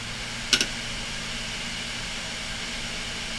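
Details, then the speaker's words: Western Digital 160 failing desktop hard drive running with cover removed: steady whir and hum broken near the start by a couple of sharp ticks; struggling, likely head damage from head parked on the disc when the cover was removed. "the Western n 160 doesn't seem too happy now that I've taken it cover off and you know I think I think I may know why it's not happy because it Parks the head right on the disc and that may have damaged it when I took the cover off"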